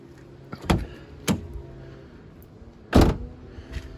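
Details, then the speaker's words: Nissan Pulsar, door shut several times: thumps each followed by a short loose rattle inside the door; owner suspects loose window regulator needing tightening or replacing, not confirmed. "So, you'll hear it works and everything fine, but you'll hear as I shut the door, it's a bit loose. You can hear that rattle after it."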